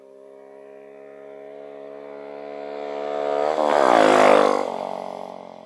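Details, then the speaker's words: Dax 125 after oil change (30 SAE), new stainless original-style exhaust and new intake pipe: revs rise steadily then drop sharply; louder than old exhaust but bearable, clean; main jet to lower, idle to raise. "Bon, ça fait un peu, ça fait plus de bruit que l'autre. Mais là, tu vois, sans casque, c'est quand même assez supportable."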